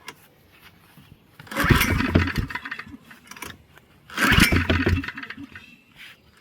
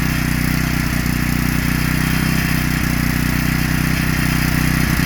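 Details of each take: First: Heavily used Generac 3500XL generator that sat three years in a shed, now with gas, oil, spark and air restored. Two pulls, each catching with a slight knock and rough sputter for about a second, then dying. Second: Generac 3500XL generator after pulls on full choke, with the bad low-oil sensor bypassed by a previous owner who had disconnected its wire. The small single-cylinder engine holds a steady, even beat with no surging and no longer shuts off.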